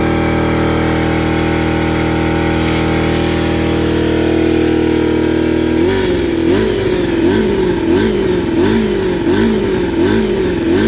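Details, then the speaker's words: Honda CBR250RR MC22 first start in years after carb rebuild, short fuel line straight from petcock: revs climb then hunt up and down about once a second; carburettors not synchronised, rough idle, butterfly valves still to sort. "now we can start the bike it's not revving correctly yet because the cabs are not suited"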